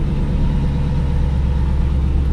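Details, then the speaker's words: 2000 C5 Corvette V8 with long-tube headers, idling after a starter replacement with the X-pipe refitted and sealed with uncured RTV: a deep, steady rumble with no ticking or puffing. The earlier exhaust leak is no longer heard. "not really hearing that exhaust leak that I used to hear, but I am going to let that RTV cure."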